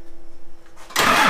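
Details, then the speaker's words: Cummins diesel-swapped Jeep YJ on first start-up. The AirDog fuel pump is jury-rigged to switched power and hums at key-on, then the diesel fires instantly into a loud, even clatter with no hesitation. A clean, healthy start. "I gotta shout out my buddies, Matt, Joe, and Josh for coming down here and just making sure the engine was healthy and ran good. And so far, like, it started right up, and yeah, just amazing."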